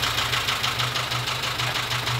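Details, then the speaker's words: Dacia Sandero with Renault D4F 1.2 petrol engine, recorded through a stethoscope-style recorder: sharp, hard knock about six or seven times a second over a rough idle; owner suspects it ran low on oil and has a spun bearing. "you can clearly hear the knocking"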